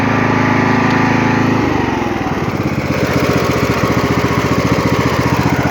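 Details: Poulan XT (Husqvarna) 42-inch lawn tractor, Briggs & Stratton 16.5 hp 500cc engine, mint condition: runs smooth on choke, then settles into an even regular beat with no misses or knocks; normal healthy running.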